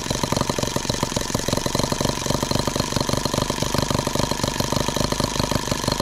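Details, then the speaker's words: Microcosm H76 twin-cylinder engine after valve lapping, ring replacement and small modifications, at low speed: small chuffs with quick uneven popping and a lopsided beat as it keeps missing, dropping to one cylinder; misfire. "Hear it missing again? Down to one cylinder."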